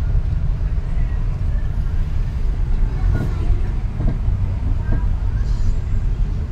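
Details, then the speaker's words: Nissan X-Trail stationary at idle: dull clunks as steering wheel is turned, persisting after earlier parts replacement, caused by a worn stabilizer link joint. "B kahit K nakahinto lang yan tos galaw-galaw lang manibela Lalabas na yung tunog"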